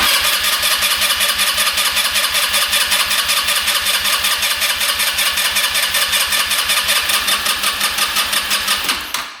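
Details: Non-running scooter sat a couple of years, spark plug in: about nine seconds of quick even starter cranking to check the fuel pump, no catches; engine turns freely and the pump is pumping well.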